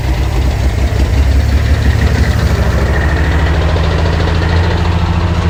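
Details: 1948 Pontiac Silver Streak straight-six, sitting since the early 1990s: a steady idle with a faint, regular light knock under the low rumble. Engine knock at idle; owner plans to check the oil pump and add a gauge.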